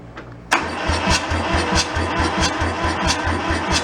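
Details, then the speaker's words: Kubota L225 diesel tractor after sitting about 10 years, cranked on a warm day without glow plugs and throttle slightly open: loud cranking, then uneven chugs about three a second as it catches some cylinders but won't run. "chugging like it's got something she's gonna go"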